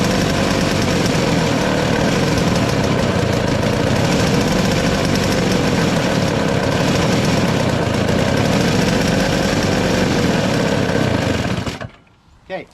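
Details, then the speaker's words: Single-stage two-stroke snow blower on fresh premix: runs rough and uneven at about three beats a second, then bogs and dies; it runs only on choke, and with the choke partly off it speeds up, then bogs down. "so it runs on only choke and once you take it off a little bit it'll kind of run faster but then it'll kind of bump down"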